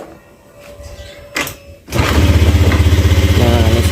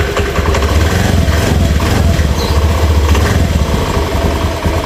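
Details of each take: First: Honda Beat FI scooter after full engine rebuild, owner complained of rough noise; restarted with CVT reassembled: catches after a few clicks into a smooth even idle, no rattle, so rough noise traced to worn CVT rollers and roller housing. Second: Honda Beat FI scooter, engine fully rebuilt about a month earlier: normal at idle, but at quarter throttle a rough, gritty scraping rasp; suspected CVT or piston, traced to worn, pitted roller housing and out-of-round variator rollers.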